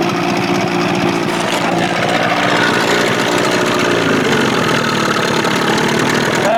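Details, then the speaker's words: Evinrude 25 hp converted to 30-35 hp, on a Boston Whaler in the water with a new prop, idles with an even, throaty two-stroke burble and steady rhythm, no misses or knocks. It sounds throatier with the bigger carb and idles cleanly. "to me sounds a little little throatier that bigger car on it"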